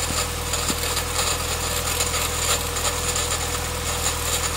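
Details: Nissan CA18DE petrol engine, just bought: steady running with harsh busy metallic rattle over low hum; owner doesn't know the cause.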